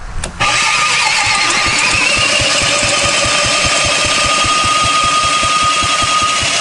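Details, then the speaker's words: 1970s Briggs & Stratton four-stroke generator engine built for Princess Auto, tried with and without choke: steady cranking at about four beats a second that never catches. Fuel is reaching it, but the points give no spark. "Let's see what's happening down here on the points front. Remember, she's a 4-stroke, so take her 3, 4, and she closes there. You know what? No sparky."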